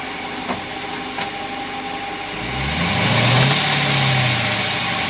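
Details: 2014 Dodge Challenger R/T at 2,400 miles: two sharp single bangs over idle, then revving; differential backlash clunk, which Dodge says is normal, owner disagrees.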